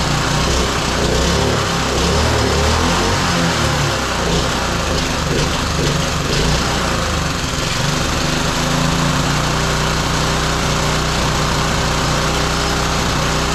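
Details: Roadside-found small single-cylinder lawn mower engine for a minibike, first run after a part swap: runs steadily at a busy, buzzy speed with no knocks or misses; healthy running.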